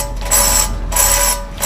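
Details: Audi 5000 CS Quattro front hub turning: rough, gritty grinding in slow bursts with a metallic ring, from a badly worn wheel bearing with significant play at the wheel.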